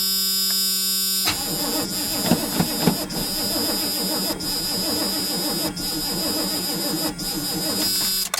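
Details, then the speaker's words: 1984 GMC truck, gas dumped into the carburetor: starter grinds the engine over slowly and laboriously for several seconds without catching, battery getting weak, charger then used; slow cranking. "like my battery's getting weak but I heard a little life out of it"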